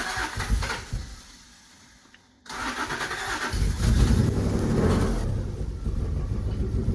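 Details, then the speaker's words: Subaru SVX after ECU repair with cam and crank sensor issues and suspected exhaust leaks: quiet cranking, then it catches into a steady but slightly uneven idle with exhaust chuff; sounds down a cylinder or two. "Sounds like it's down a hole or two."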